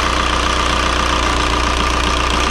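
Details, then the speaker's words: 2003 VW Jetta TDI 1.9 ALH diesel with newly fitted 11mm Bosch VE injection pump, cylinder cut-out test: steady idle turns lumpy and rough when one injector line is cracked open, showing that cylinder is contributing. "yeah you can see the engine starts to run rough and uh that means that that cylinder is contributing"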